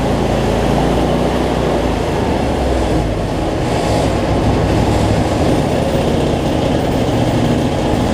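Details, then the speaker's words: Cub Cadet zero-turn mower, Briggs V-twin, after adjusting a governor that let it race out of control and fixing rich running: steady, even drone holding one speed, no surging or hunting, no black smoke; battery not charging. "let's see what we got so much better though no black smoke"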